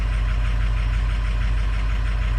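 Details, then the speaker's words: Diesel pickup (Harley edition), cold start with data logger: deep heavy idle with lumpy uneven beat; injector balance shows cylinders three and six dropping low, rough idle from weak injectors. "kind of looks like injector hell here oh number six drop you see that right here right there number six number six is [Music] low"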